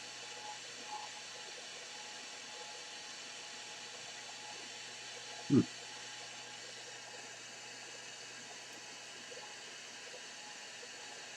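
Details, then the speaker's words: Sony ICF-2001 radio on FM, no antenna, switching transistors suspected: constant loud hiss with faint steady tones that will not turn down completely with the volume control. "Well, before I do that, I can't stand that hiss. Can't stand that hiss."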